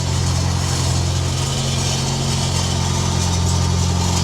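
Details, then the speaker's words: Mitsubishi Evo X on a lift, recorded from underneath during light revs: light, fast tinny buzz over the exhaust note, traced to a loose heat shield plate. "here some light [Music] revs you hear that rattle come over here"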